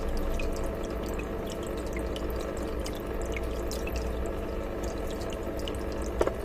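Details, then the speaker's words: Aqua One Horizon 182 starter kit hang-on-back filter: with the lid placed on top, a constant low drone over trickling, splashing water, loud enough to be heard in the living area above five other tanks; lid resonance drone. "is the noise when the lid is placed on top of it it creates a drone which we can hear in our living area"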